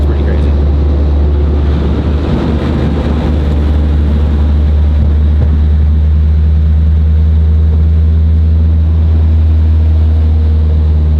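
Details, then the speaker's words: Chevrolet SS sedan while driving: loud steady low droning boom from the rear, car vibrates badly; rear tires worn and fronts to be balanced. "so you guys got a glimpse of what currently goes on with the SS it vibrates pretty bad"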